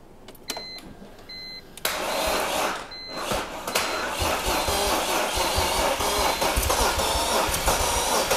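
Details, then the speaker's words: Wrecked 2005 BMW E46 330i ZHP with a 6-speed manual and extensive engine damage, cranked with an extra jump battery. After a pause the starter whirs and the engine turns over steadily without binding, so it is not seized. "okay okay it's not locked up I added another battery now we got more jumper"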